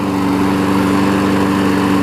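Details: 5hp Briggs engine on a 2014 Weed Eater push mower deck, ready for sale. A steady, even single-cylinder drone with no misses or surging; running smoothly.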